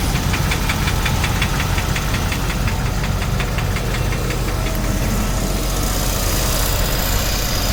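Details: 2001 Land Rover Discovery 2 V8 at idle: rapid, even light ticking, about five per second. O2 sensor check-engine light is on.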